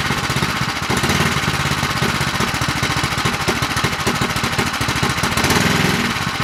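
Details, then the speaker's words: Predator 212 Hemi engine build with a 255-grind performance cam, running: choppy, loping single-cylinder beat instead of a smooth hum, typical of the aggressive cam; the engine sounds good. "sounds like you drove a car with that sounds pretty good yeah it does you could definitely tell it's got a cam in it yeah it doesn't ain't got that smooth"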